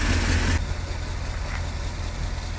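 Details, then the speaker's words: 1964 Lincoln Continental convertible V8 running again after a fuel tank swap, new aluminum fuel lines, a 3-port Carter pump and a new filter: deep, lumpy idle rumble with a loose puffing edge from an exhaust leak. "obviously you hear the exhaust leak a bunch of little things i got to continue to do"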